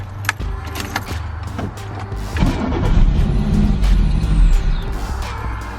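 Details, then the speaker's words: 1985 Pontiac Fiero GT-based Testarossa replica kit car with an ongoing idle issue, started in neutral after the fuel pump primes: it catches, swells briefly, then dies. The owner suspects the IAC valve is stuck shut, starving it of air. "let's see if we can hear it kick on yep fuel pumps coming on alright starts and then dies"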